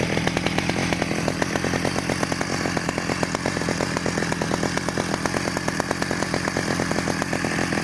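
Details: 1991 Stihl 009L chainsaw after rebuild: crisp, fast, even two-stroke buzz holding steady speed without bogging or sputtering; runs healthy.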